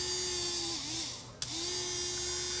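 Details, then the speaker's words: DeWALT cordless leaf blower motor bench-run on a power supply at about 4 V, 1 A: smooth, steady high whine, brief dip then clean recovery, no rubbing or rattle; motor fine, controller or battery suspected. "I think if I hook up this motor and give it some juice, it's going to turn, and it's going to turn fine."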